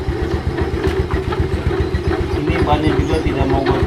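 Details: About 2007 Yamaha Mio Sporty scooter with sluggish take-off: rough uneven rasp and rhythmic chatter from the CVT at idle and on throttle, caused by the kick-starter pin rubbing the pulley shaft to the crankshaft.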